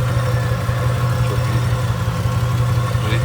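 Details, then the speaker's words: 1967 Chevrolet Impala, warm, at idle: rough, lopsided, shaking idle with a stumbling pat-pat beat about three a second; pulling plug 5 seemed to change nothing, misfire from oil-fouled spark plugs. "yani pata pata pata pata pata vuruyor yani rölantideki Sesi bile çok rahatsız edici"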